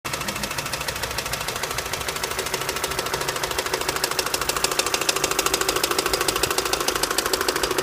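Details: 2006 Opel Astra H with Z16XEP engine at 170,000 km: an even, sharp, fast ticking knock at about 200 per minute over the idle, slightly louder as revs rise. A shop blamed the intake manifold and TWINPORT flaps; unconfirmed.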